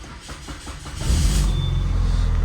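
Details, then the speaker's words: Repaired, previously abandoned Peugeot 406 Limited, unstarted for several days, started in Park: brief crank, catches at once and settles into a steady, even low idle with no stumbling; healthy start. "enak ya. Dihidupkan langsung hidup."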